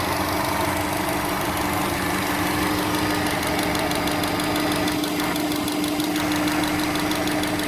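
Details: 2006 Subaru Legacy Spec B: a light, fairly quick knock, about three taps per second, over a steady idle while parked; the knock also occurs releasing the clutch in first gear, other gears are fine, and it persists after 15 minutes of driving.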